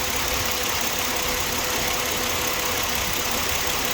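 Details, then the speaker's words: 2007 Ford Explorer XLT idling after a thermostat housing coolant leak repair and WD-40 on the noisy belt tensioner bearing. Steady, even idle with no squeal or chirp from the belt area. The engine is quiet again. "yeah i have the quiet engine again no noise thank you"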